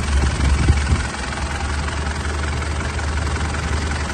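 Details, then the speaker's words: 2008 Mitsubishi Pajero Full 3.2 diesel after timing chain kit replacement: smooth, even low diesel rumble at steady idle with no ticking or rattle; former timing chain noise gone. "Olha aí pessoal Zerou Zerou Então tá aí mais uma troca de corrente de comando né dessa piro full 3.2 cliente vai ficar super satisfeito"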